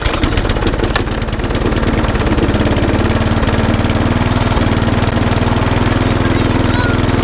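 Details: Lawn mower that ran very slowly and would not stop, after a full service (plug, air filter, blade) and micro switch fix, fresh fuel, running outside: crisp, rapid regular firing pulses at steady revs, no misses or surging; running as it should.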